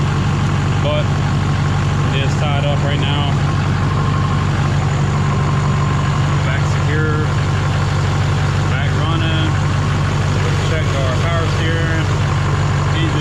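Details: Chevy Duramax LMM diesel after engine replacement, fluids filled, new muffler; steady even clatter at idle with no knocks or misses, holding almost 60 lb oil pressure and charging, normal idle.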